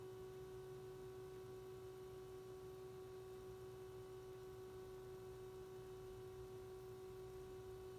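A steady, pure mid-pitched hum with faint higher overtones runs the whole time over a quiet background, an electrical hum from the scanner.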